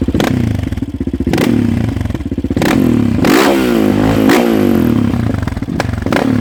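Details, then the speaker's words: 2016 Yamaha Raptor 700 SE single with 11.1 compression piston and Hot Cam stage 3, exhaust during throttle stabs: loud, popping revs, one blip stuttering before picking up; it is running a little rich and needs more auto-tuning. "It is running a little rich. You'll probably be able to hear that. It stuttered a little bit on one of the throttle stabs I gave it."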